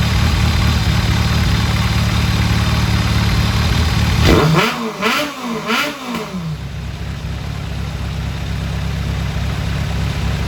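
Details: 2001 Kawasaki ZRX1200R with CVK carbs, warmed up after tuning with pilot screws at 2 5/8 turns (factory 2 1/4, jetted lean), idle turned down; even idle, three quick clean throttle blips rising and falling smoothly, then a settled idle. Healthy running.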